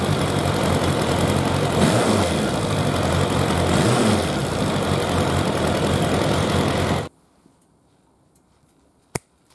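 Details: Suzuki Bandit 1200 four-carburettor naked bike at idle during carburettor synchronisation; steady, even idle at about four pulses a second with no stumbles or misses, a smooth, well-balanced normal idle.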